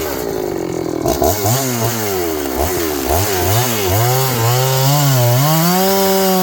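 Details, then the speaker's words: John Deere CS81 chainsaw cutting wood after revival: revs up and down in repeated bursts as it bogs into the cut and recovers, pulling cleanly; carburetor okay, burning black off a dried-up muffler, sounds healthy. "The carburetor ain't so bad. It's burning all that black off of it. The muffler's dried up. It needs to be run some in the system."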